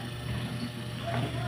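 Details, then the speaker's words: Crex 45 W stand electric fan motor after repair of worn ball bearing and running capacitor, previously humming without spinning; quiet steady low hum, shaft spins with no wobble noise, normal running. "Kung makikita niyo mga master, yung shop ng ating motor ng electric fan ay umikot na. So yan. Tapos wala na tayong ingay na maririnig na umaalog yung shop niya dahil sira itong bulbeing."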